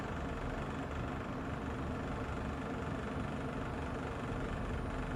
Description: Less than a year old, our Kolin aircon produces rattling noise